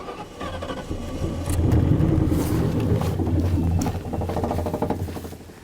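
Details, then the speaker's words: 1998 Ford Crown Victoria P71 Police Interceptor parked over 10 years, run on starting fluid sprayed down the intake. It cranks, catches and runs a few seconds, then fades and dies. "it ran it did it ran it ran very well actually no kidding okay okay I all I asked it to do was run and it did it didn't backfire it didn't catch on fire it actually sounded good"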